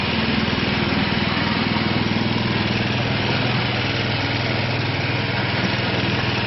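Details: Craftsman snowblower after a transmission change, cold morning start on choke after priming: small single-cylinder engine catches and settles into a steady, even idle with no misses or knocks. Normal idle after cold start.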